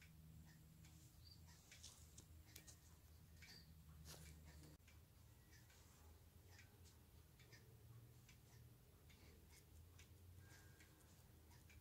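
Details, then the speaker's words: Hermle 451-050H floor clock mechanism after about four beat adjustments: quiet, evenly spaced tick-tock with equal gaps, nearly perfect beat, so the clock will run reliably. "but now you can hear the sound you can see the impulse light this thing has got an absolutely nearly perfect beat"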